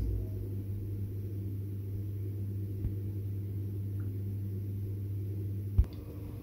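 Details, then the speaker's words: Gas boiler after Drayton Wiser conversion from Vaillant VRC400 controller, heating boost test: even low hum holds steady with a single click near the end as burner lights on; firing normally. "so the boiler started now and it's just fired up as you can see the burner lights come on"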